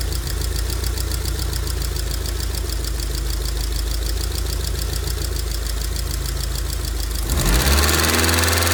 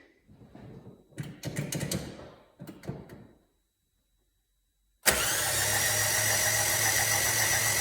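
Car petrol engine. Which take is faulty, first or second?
first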